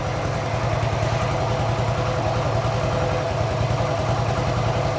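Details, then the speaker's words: Harley motorcycle after repair, idling steadily and evenly at about three and a half pulses per second, with no knocks, misses or surging. Normal idle. "it runs great fred"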